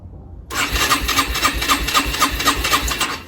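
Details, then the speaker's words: Rieju RS2 Matrix Pro 125cc stored over 10 years, carb cleaned, new fuel lines and valve, on backup battery with choke: starter whirs in a steady rapid pulse about four beats a second for three seconds; cranks but won't fire. "Alright guys, so we've attached the second battery, the backup battery. Let's see. Come on. Choking. Come on. No."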